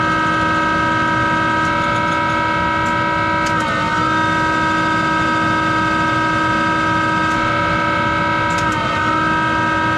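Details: Monarch 10EE lathe, 3-phase motor-driven generator with vacuum-tube rectified DC spindle drive, speed being changed, with worn motor-generator bearings that need replacing: a loud steady hum with a high whine whose pitch dips briefly twice.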